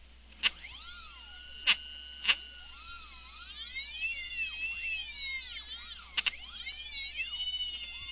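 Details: Stepper motors bolted to a steel plate, driven by a GRex controller at 65 kHz and 5000 mm/min feed: high whining tones sweep up and down as the axes move, with sharp clicks and plate resonance rattle; normal, no lost steps.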